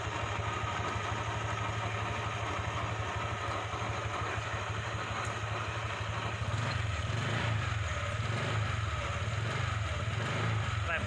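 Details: Honda Vario 125 scooter, rough 'krek krek' noise from CVT while running, appeared after air filter change (deemed unrelated); low uneven rumble at idle growing rougher partway through, pointing to a worn CVT pulley bearing.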